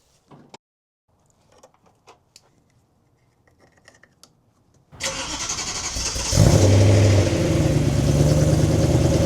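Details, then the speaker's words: BMW E90 M3 V8, 6-speed manual, cold start after sitting three to five months on old fuel: cranks and flares loud with metallic banging/knocking over cold idle; owner suspects bolts rattled loose where the X-pipe meets up. "So, while the car warms up, not sure if you guys heard that sound during cold start where it's it's kind of like banging or like it's kind of like a knocking noise. I'm pretty sure where the Xpipe meets up, the bolts might have rattled loose."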